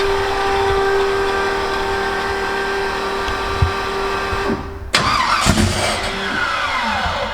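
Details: Twin-turbo Cortina's first start after a multi-point fuel injection install, no throttle cable fitted: a steady starter drone for about five seconds, then a sharp catch and an uneven, stumbling run; cranking, not starting cleanly.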